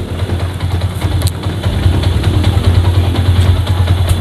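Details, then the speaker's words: Yamaha MX King 150 (Jupiter MX) idling after the noisy cam chain tensioner stud was fixed by welding a nut on its end; helicopter-like noise gone, steady quiet idle with even firing and no chain clatter; normal idle. "Jadi kita bisa dengar sendiri suara mesinnya sepi, bersih ya."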